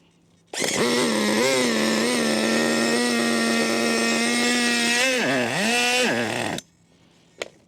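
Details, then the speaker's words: HPI Racing MT2 4WD nitro RC truck, primed and started after long disuse: screaming high revs that sag and recover unevenly, hard to get going; running rough, engine seems a bit clogged and needs work. "A bit clogged. Needs a bit of work. Right, it was a bit of a ball ache to get going."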